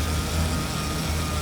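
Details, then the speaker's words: 1991 BMW E31 850i with a rebuilt M70B54 V12, on first start after a two-year restoration: smooth, low idle on all 12 cylinders with a thin, steady whine from the power steering pump. No leaks, and the engine is not yet fully warm. "Just a whiny power steering pump. Everything else looks good."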